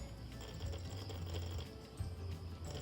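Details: RC 3D airplane brushless motor under throttle, before repair: low hum cutting in and out in uneven bursts instead of spinning up. Cause is a broken motor wire; continuing to run it risks burning the speed controller (ESC).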